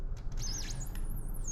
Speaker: if you can hear that squeak sound that means you're getting a really good cut on the material